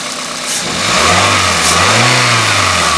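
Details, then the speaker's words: Pontiac Vibe, base front-wheel-drive model, warm with steady temperature: short smooth rev and even return with no knock, a slight ticking the owner puts down to age; healthy engine. "but you can hear it sounds pretty good it's got a little bit of a ticking tick but you know you get what you get for the age of the vehicle"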